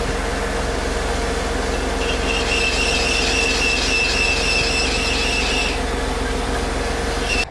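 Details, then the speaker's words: Running engine with a steady high serpentine belt squeal that drops out when water is sprayed along the belt; noise quieted anywhere sprayed, confirming a belt problem, most likely pulley misalignment rather than tension or a bad pulley. "Spraying pretty much anywhere along the belt quieted the noise down. But again, that does at least verify it is a belt problem, and in the case that the noise went away, a misalignment problem is the most likely cause of that."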